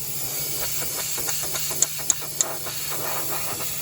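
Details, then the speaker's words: Honda Civic EG B16 turbo, intake pressurized with compressed air: steady sharp hiss with faint pops from a crack underneath the intake manifold; boost leak. "the actual manifold is cracked so that needs fixed so it's cracked underneath I can't show you but you can hear just doing this to the bottom of the"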